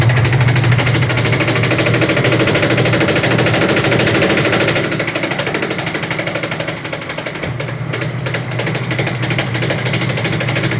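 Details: Loud, rapid, fairly even hammering about three times a second throughout the spin of a Sharp automatic washing machine's very noisy spin dryer; the spin tub assembly is defective.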